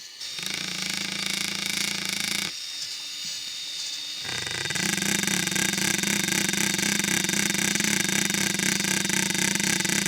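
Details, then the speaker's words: RC scale 'CV' joint at full steering angle: a fast, uneven buzz of about four pulses per second under the motor whine. It shows the same non-uniform rotation as a U-joint, so it is not a true CV joint, just a disguised universal joint. "well I think that demonstrates that this alleged CV joint exhibits the same non-uniform rotation at a steering angle that the joint did"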